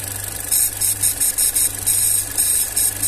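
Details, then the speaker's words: VW Up TSI idling, after its hot-air intake was blocked off, with the air reservoir open and the air filter removed: the engine runs smooth and quiet under a loud, pulsing high hiss of intake air, which is normal with the filter off. "Tá esse barulhinho de aspiração aí, ó, mas é porque tá sem o filtro aqui, tá, ó."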